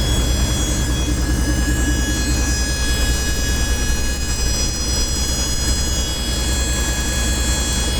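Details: 1996 Dodge Dakota: a steady high-pitched squeal holds constant pitch over an even engine run; the source of the squeal is undetermined.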